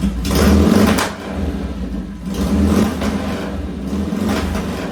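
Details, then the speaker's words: 1966 BSA chopper revved on the lift after cleaning pilot jets set 1.5 turns out: each throttle blip gives ragged revs with loud irregular pops; suspected ignition timing rather than carburetor, though new ignition's timing checked good. "Yeah, pow pow. Pow pow. That sounds more ignition Timing. than carburetor."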